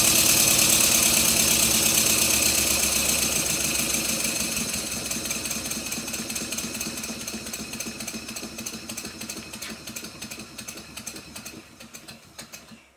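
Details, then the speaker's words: Stuart Twin Victoria model steam engine on a compressed-air test after a rebuild with silicone O-rings on the crossheads: quick chuffs that slow and fade, with a light ticking knock each beat. A crosshead pin is working loose; fixed with threadlock. "my efforts one of the crosshead pins is working loose again I used a small amount of thread lock on it and that fixed it"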